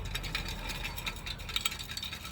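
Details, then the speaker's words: 2011 Infiniti Q56 with random multiple-cylinder misfire: a removed catalytic converter shaken by hand gives a loose, gritty rattle as its broken honeycomb tumbles inside and clogs it; the good converter is silent; replacement is planned. "the Honeycombs in in there has just broken up whereas this one no noise so we found out what the culprit was on Infinity"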